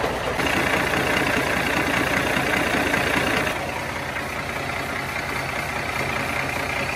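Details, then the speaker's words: Idling truck: a rushing hiss of compressed air escaping at the elbow fittings, which need replacing. "tutaj mam wyciek powietrza i [Aplauz] to bywa tyle będę w kraju i tak jest do wymiany już tutaj też mam wyciek podjeżdża obydwa kolanka wymiarem najlepiej wszystkie trzy"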